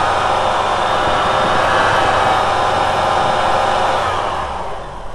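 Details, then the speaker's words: VW T3 with intermittent lack of power, idle held up so the O2 sensor cycles; wiggling the coolant temperature sensor wire makes idle climb, stick rich momentarily, then sag back; bad sensor connection upsetting the mixture. "so watch what happens when I wiggle the uh temperature coolant temperature sensor wire there it goes and it sticks sticks Rich momentarily and there it goes again"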